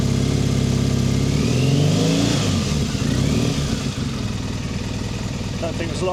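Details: Triumph Bonneville T100 790 twin after engine replacement, warmed up, off choke, checking carb balance: picks up cleanly on quick throttle blips, revs rise and fall evenly, no misfire or stumble; carbs sound balanced.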